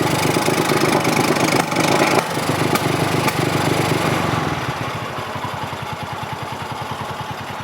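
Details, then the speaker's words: Polaris RZR 170 (169cc four-stroke) warmed up, choke off, after adjusting the idle to about 1700 rpm and the pilot air screw. Idle is now smooth, but revving brings uneven running with sharp pops and a bog at full throttle, then a loping idle. "so this certainly is a much better smoother idle it's no longer sputtering or backfiring sounds pretty good uh the problem is when you start going through the range of the accelerator you still get it"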